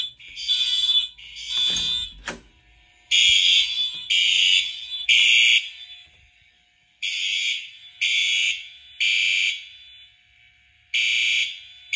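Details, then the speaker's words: Fire alarm test on a FireLite MS-5024 panel with System Sensor SpectrAlert Advance P4R, Wheelock MT and FCI multitone horn strobe: loud, shrill horn blasts in uneven, overlapping bursts, deliberately left unsynced. "all right we got the p4r that's still there and the FCI is in the [Music] garage I have them unsynced on"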